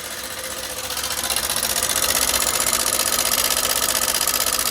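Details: Hero Super Splendor BS6 i3s, 4321 km, at idle: sharp fast metallic ticking over a buzzy single, getting louder; engine oil completely empty, worn, dry rocker arms tapping.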